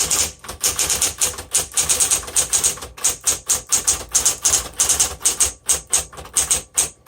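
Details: 1960s Smith Corona Coronet electric typewriter, repainted, typing again after a lock-up was fixed by reversing the ribbon direction: crisp, evenly spaced key strikes in quick bursts with clean carriage action and no binding, normal typing.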